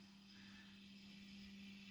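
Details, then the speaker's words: 3 kW immersion heater element fitted next to the boiler: a steady low hum with a soft, even hiss. The element is working normally. "шипить 3 кВт тен шипить він просто вклю це дополнительно я зробив от от інвертора"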